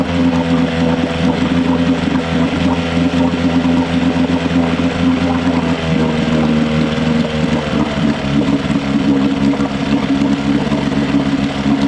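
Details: Johnson 6hp outboard after fuel pump and all fuel lines were replaced and carb float corrected: steady, even drone with no misses, surging or dropouts. Normal running.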